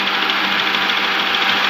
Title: 2007 HONDA ACCORD K24/Engine Knocking Sound/Cause & Remedy(Part 1)